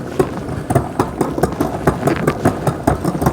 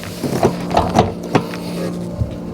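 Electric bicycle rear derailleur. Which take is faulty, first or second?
first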